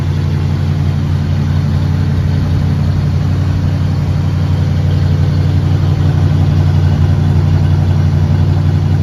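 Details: 1976 Oldsmobile Cutlass Salon, 54,000 original miles, gaskets replaced last winter, started after sitting 24 hours: deep, smooth, even burble on the fast idle circuit with no misses or knocks; healthy cold engine.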